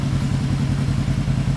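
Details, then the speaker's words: 1975 Yamaha XS500 B twin, warm, after compression test (L 140, R 150 psi), rejet and carb sync: steady, even low putter, no misses or knocks, idle just above 1,500 rpm; normal idle. "just so you know where this Idol is I'm gonna show you here we're looking at just above 1,500"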